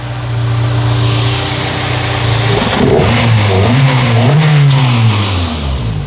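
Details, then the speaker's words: Honda Civic engine bay: after revving, a low foghorn-like wail swoops up and down in pitch as revs fall; owner suspects the PCV, cause unknown. "It makes a bit of a wailing noise after I give it some gas. I have no idea what this might be."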